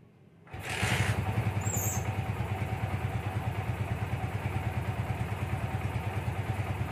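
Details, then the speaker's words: Yamaha Vixion Advance after repair of head oil starvation (block not replaced): catches cleanly and settles into a quiet, even thump with no top-end ticking; healthy idle, oil circulation good. "alhamdulillah ini bloknya tidak jadi ganti masih bisa diakalin dan suaranya kembali seperti semula ya alias sembuh adem banget suaranya guys"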